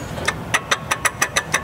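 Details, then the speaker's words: 2001 Dodge Dakota 3.9 L V6, belt removed, idler pulley spun by hand: sharp gritty clicks about five times a second, bearing with play; idler pulley bearing failure. "this Tyler pulley sounds awful and here's a closer look yep that's got a bad bearing for sure"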